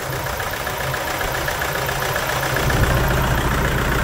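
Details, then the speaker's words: Toyota Hilux 2.5 diesel 2011, lacking power: lumpy, stumbling misfire at idle from contaminated fuel; scan shows a pump valve code, needing injector, pump, lines and tank removal and cleaning. "Vamos fazer um antes e depois da falha beleza ó como é que o motor tá se [Aplausos] movimentando"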